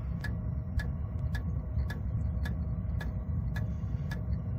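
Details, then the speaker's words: Chinese 5 kW diesel heater with upgraded exhaust, run from a VTOMAN Jump 1000 at about 118 W during startup with glow plug on; crisp even ticks about twice a second over low fan rumble, dosing pump pulsing normally. "Alright, we should start to tick now."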